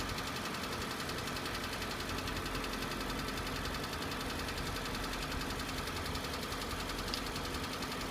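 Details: Hyundai ix35, 2.0 litre 150 hp, 74,000 km, over three years old and under warranty: light rapid ticking knock over steady idle on a cold start, lasting about 25–30 seconds then disappearing; cause not yet known, dealer visit planned.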